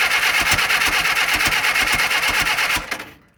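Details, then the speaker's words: 1948 Willys CJ2A Jeep engine after decades sitting, timing advanced slightly: rough uneven chuffing that catches and fades, trying to fire but not running, smoking heavily and pumping oil from a leaking gasket. "It's trying. Smoking like hell, didn't it?"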